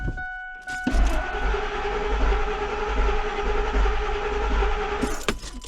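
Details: 2001 Ford Expedition XLT V8 crank-no-start: starter churns at an even, low rhythm for about four seconds and never fires; no fuel coming out and relays checked, so owner suspects the fuel pump.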